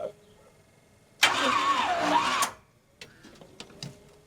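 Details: Gen 6 454 big block Chevy with hydraulic roller cam freshly swapped into a square body C30 dually, first crank attempt, mic on truck: about one second of starter churning, no firing; too little cranking power, jump starter left off.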